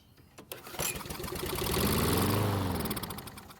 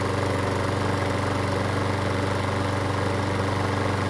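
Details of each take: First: Stolen-and-recovered John Deere mower with fuel poured into the carb. After a few pulls it catches and revs for about three seconds, then fades and stalls; spark and compression present, fuel or carb issue suspected. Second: Stolen-and-recovered John Deere pull-start mower, restarted cold in two pulls with three primer presses: steady, even low putter with smooth unbroken rhythm, one slight speed change near the end; still sounds great, normal idle.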